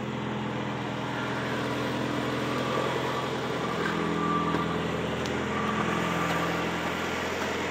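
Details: 1985 Cadillac Cimarron, about 48,151 miles, idling just after a cold start following months of storage: smooth, even, steady idle without ticking, knocking or stumbling; oil pressure perfect, battery charging.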